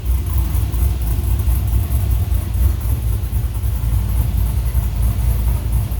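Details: 1980 Chevy K10 with LS swap: Summit 150153 crate motor, Holley Terminator X, LS6 intake, 1302 LS1 headers, Flowmaster FlowFX mufflers. Gauge reads slightly lean, fuel pressure reading doubtful after washing the engine. Deep, even V8 idle rumble with no knocks, ticks or misses; normal idle.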